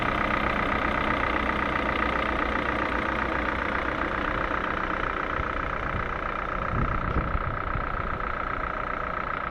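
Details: Ford 1.6 engine, warm but restarted after 10-minute stop: idle with light fairly regular tapping about four beats per second over steady hum; unexplained engine knock.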